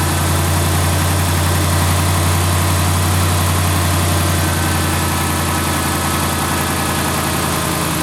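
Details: 2010-2019 Dodge Ram 5.7L V8 after water pump replacement and vacuum coolant bleed, warm near 200°, thermostat open: steady even idle, smooth low drone, no knock, squeal or rattle; old water pump noise gone.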